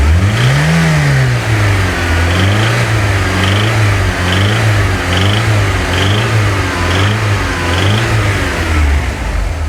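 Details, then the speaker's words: VW Golf GTI Mk2 16-valve, engine revved repeatedly during a purchase inspection: hard knocking comes in near the top of each rev; a bottom-end bearing is suspected but not confirmed. "It sounds like a bearing noise. Is it normal? Is it It's like high in the rev. Listen to high in the rev range."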